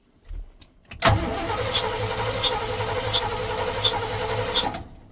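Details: Carbureted rat rod engine after storage: starter cranks it steadily for about four seconds with no firing or catch; owner wonders if the gas is too old or it's flooded; cranks but won't start, no spark.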